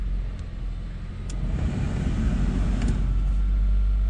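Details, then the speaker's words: B20 engine in wife's car, first start after distributor set 180 degrees correctly: starter churns briefly, engine catches and builds to a steady even run with no misses or knocks; starts normally. "doesn't mean it's gonna run but Maybe oh yes it's running"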